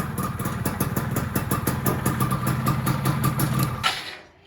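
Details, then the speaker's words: Yamaha F1ZR two-stroke engine freshly rebuilt and ported for daily touring, ignition pickup welded, first start before break-in; steady, even idle putter with no knocking or rattles; engine runs smoothly. "Nah alhamdulillah suaranya udah halus."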